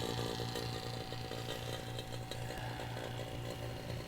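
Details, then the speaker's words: Chevy Silverado A/C repair with a vacuum pump connected and both gauge valves open: steady low drone with a quick even chugging and faint gurgle, pulling the system down normally to about 28 inHg of vacuum. "it's a matter of pushing this button you should see some smoke come out of here that's normal I don't know if you can see it you can hear it gurgling though"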